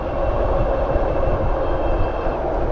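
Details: Bafang G62 hub motor with an added 10K NTC thermistor, run on a Flipsky 75100 Pro V2 controller during a heat test toward 120C: smooth, steady electric whine, no grinding or clicking; motor spinning cleanly and works fine.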